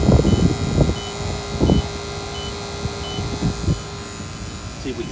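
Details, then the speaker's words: Battery-powered pump during walk-in cooler service: short high beeps about every three-quarters of a second over steady pump hum; this low-battery warning heartbeat speeds up and gets louder before the battery dies; a check valve holds vacuum. "tcfm will give you a warning be when the battery's going [Music] out get that heartbeat"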